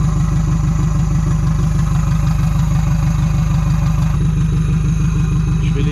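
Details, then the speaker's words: 1986 Renault Espace, prepared engine running ethanol: smooth even idle at about three beats a second, now near perfect after reconnecting two forgotten brake-booster hoses that had caused a large air leak and very lean running. "ok c'est bon ça tourne beaucoup mieux maintenant un peu l'entendre ralenti il est quasi parfait en fait"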